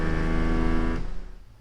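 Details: Proton Persona passenger-side power window before repair, opening via the switch. A low motor whirr with a rough, buzzy rattle runs for a second, then stops; the window motor is rattling.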